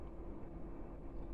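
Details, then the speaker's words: Chinese diesel heater (error code E-3 had shown) after its motherboard was replaced with one borrowed from another heater; low steady whir of the fan starting normally, no rattle or scrape, fuel pump yet to start ticking. "a little bit of fan noise just starting"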